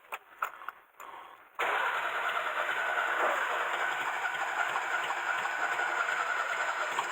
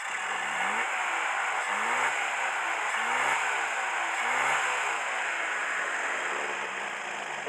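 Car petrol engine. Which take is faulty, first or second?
first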